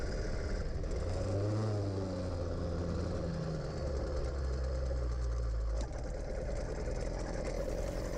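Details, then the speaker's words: Gas-powered motorized bicycle out on a ride running on premium fuel, which helps it rev; buzzy, even two-stroke drone rising and settling with throttle, no misses or rattles. Running quite well. "And if you can't tell, it's actually running quite well at this point."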